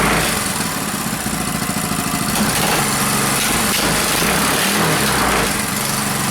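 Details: Reassembled Powerfist single-cylinder petrol engine just after first start following reassembly, on choke, cold day; fast busy buzz holding steady with slight wobble, running well.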